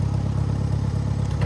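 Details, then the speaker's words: Farmall 404 tractor after clutch repair, reassembled; even low engine rumble with no rattle, squeal or chatter. Clutch now works without noise or chattering and it shifts into gears fine. "We got the clutch, no more noise, no chattering."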